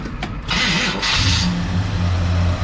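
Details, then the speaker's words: Barn-find air-conditioned car, 350 V8 with electronic ignition and Holley carb: short crank catches quickly, then a smooth, even low rumble with no knocks or misses; runs really nice. "as you can hear it runs smooth it it runs really really nice"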